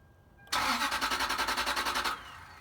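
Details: 2001 Toyota Sequoia at 217,000 miles that sputtered and then wouldn't run: the starter turns the engine in quick, even pulses for a second and a half with no firing at all. No fuel, because the pump is failing intermittently.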